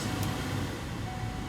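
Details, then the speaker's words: 2007 Ford Explorer/Mercury Mountaineer HVAC blower on max after a junkyard blower resistor replaced the faulty one: steady, even rush of air with a low hum, no ticking or squeal. Normal operation; all fan speeds now work, not only max. "there you go see and now all my speeds are working"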